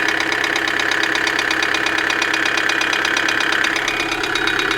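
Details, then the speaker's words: 2008 Kia Sedona 2.9 CRDi diesel (J3) idling with a loud, steady, sharp metallic knock during camshaft sensor signal checks; code P0016, cause unknown. "so there's not wrong with that camshaft sensor oh the noise is terrible all right let's disconnect a bit running"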